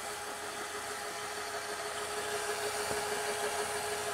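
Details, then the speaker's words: RCA VR335 VCR after cleaning the mode switch: smooth steady whir with faint even hum and no scraping or squeal during rewind; earlier rewind noise gone, auto stop works, rewinding normally. "doing it a little bit the nose isn't happening anymore so that's where these videos is they're now fully working again"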